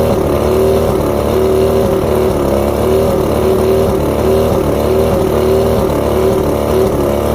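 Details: Two-stroke outboard at idle: uneven buzz with a wavering, lumpy beat, one cylinder missing. Coil outputs about 250 V except coil 4 on the even-cylinder bottom switch box; coil tested good, so faulty switch box gives weak spark.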